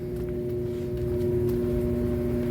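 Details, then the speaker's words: Washing machine that had stopped spinning, after a technician replaced the hose: steady smooth hum with even tones and no knocking or scraping; normal spin cycle. "Tá centrifugando. E show de bola, gente."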